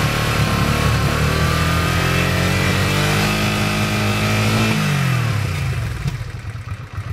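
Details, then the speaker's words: 1986 Honda Shadow VT500 liquid-cooled V-twin, 27,000 miles, warmed about 5 minutes with choke off; revs up smoothly, holds, drops cleanly to idle without stumbling. Cold, it dies on throttle: normal throttle response when warm. "so you can see once it warms up I've got the choke off now once it warms up seems to do just [Music] fine"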